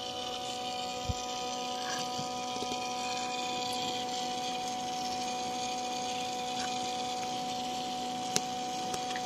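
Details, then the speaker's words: Peugeot 308 CC 1.6 THP (EP6) after coolant drain and refill with about 4.5 litres, phone held near the auxiliary coolant pump: steady even electric hum with a constant whine, no knocks or rattles; pump running normally. "D'ailleurs, vu qu'on l'entend bien là, je vais vous mettre le téléphone à proximité de la pompe de refroidissement accessoire pour que vous l'entendiez bien."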